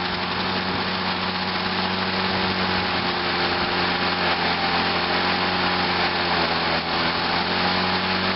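Fast, steady buzzing run with an even beat and no stumbling or surging; the small two-stroke is running cleanly.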